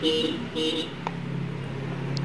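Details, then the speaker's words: Motorcycle horn on a battery before repair: two short thin quarter-second honks then a steady hum; horn very weak, fixed by turning its adjustment screw with a screwdriver. "kita coba dulu dan suaranya ini sangat kecil ya teman-teman"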